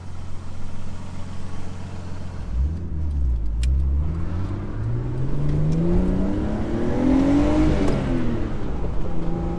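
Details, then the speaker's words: Nissan R32 Skyline on its first proper drive after HICAS removal, new tyres and wheel alignment: engine pulls cleanly, revs rising smoothly through the gear with no knocks, misses or rattles. It got a bit hot when driven hard. Normal running under acceleration. "so we're finally out on the open road and this thing actually drives pretty nicely i'm pretty impressed"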